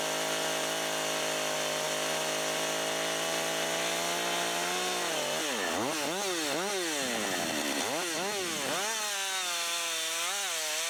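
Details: Husqvarna 562xp AutoTune saw, long unused, first real work after 30–40 s part-throttle self-tune, about 15°F or colder on cold fuel: high, even whine that sags as the bar bites and snaps back between cuts; healthy, well-tuned.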